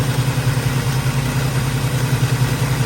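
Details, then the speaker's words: Chevrolet squarebody truck big-block V8 after repair, valve covers just fitted, about 1,400 rpm with 60 psi oil pressure, timing a little high: deep, steady, even burble with no misses or knocks, a normal idle. "Wow. That is amazing. Burning like a kitten. Wow. 60 pounds of oil pressure, 1,400 RPMs, running smooth."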